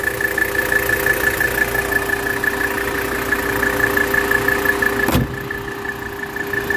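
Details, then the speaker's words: 1984 Mercedes 300D (W123) diesel during a blow-by check with the auxiliary fan just kicked on: steady, even diesel clatter at idle with a constant pitch and no misses or knocks; absolutely zero blow-by, very healthy engine. "absolutely zero Blow by very very healthy engine"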